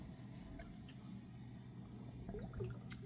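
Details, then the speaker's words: Rheem AC air handler installed December 2024, during heavy rain: faint irregular gurgles and drips over a low hum as the condensate drain backs up. Owner suspects the venting, a clogged building drain line, or an improperly installed drain and p-trap. "It has to be the venting or a clogged drain line that leads out from the building, but I don't think anyone here knows where that drain line exits the building."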